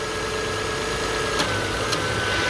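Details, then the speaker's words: 2003 Toyota Camry V6 idling after alternator belt replacement, AC compressor engaged to check belt tension: smooth steady idle with no squeal or chirp, belt tension correct and tracking straight. "Now let's engage the AC compressor and see if it squeals or not, so I know if I have the tension"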